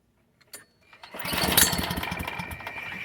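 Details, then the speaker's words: Push mower, stubborn hard start: after pulls it catches and sputters into an uneven ragged run, struggling to stay lit; primer bulb apparently not working, so it needs starting fluid. "okay yeah car the primer ain't working so most likely gonna have to uh spray starter fluid"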